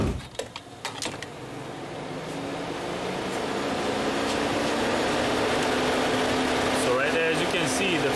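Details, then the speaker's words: 2008 VW Rabbit 2.5 L, warmed up, engine off and key removed, code P0480 and check engine light on: after about a minute a steady cooling fan rush builds and holds; radiator fan stays on when it shouldn't. "okay all right guys so as you can see the fan is on and the engine is off the key was removed"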